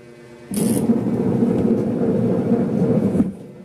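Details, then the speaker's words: Single-tub washing machine running its wash timer forward and reverse; starts with a click into a loud, rough, uneven grinding rumble, pointing to a worn gearbox. "So kung makikita niyo mga kisk ay maririnig ninyo pala paano maingay siya yung timer niya naman may forward may reverse so Ayan narinig ninyo maingay"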